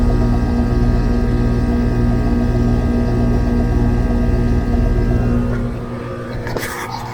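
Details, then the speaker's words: Home HVAC indoor blower fan after the dual capacitor was replaced, with the compressor running. Steady low hum with hardly any air rush, fading as power is cut; the blower motor turns very slowly and sluggishly and is failing. "It turns but very very slow. Very slow and sluggish."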